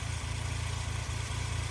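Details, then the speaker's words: 1996 Suzuki Jimny small 3-cylinder idling, hood open, heard at the engine bay: smooth regular low pulse, no belt squeal or chirp; very smooth, healthy idle. "So yeah, as you can see, no obscure belt noises or anything like that. Idle's great, especially for like for a little 3-cylinder. It's"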